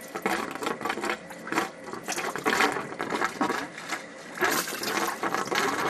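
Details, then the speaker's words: Two-zone baseboard hot-water heating system being bled, hose on the drain valve with the zone valve open: irregular spitting and gurgling bursts as air and water sputter out, air bubbles visible in the stream; air trapped in the hydronic system. "and you can hear the the air coming out yeah wow wow is there ever air in here look at that that's all air coming out of"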